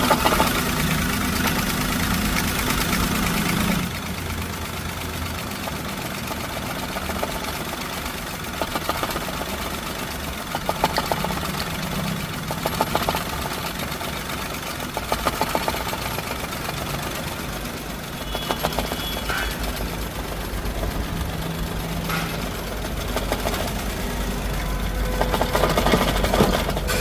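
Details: Suzuki Wagon R small petrol engine idling unevenly, with irregular stumbles and puffs breaking its rhythm: a misfire, with pick-up problems also reported.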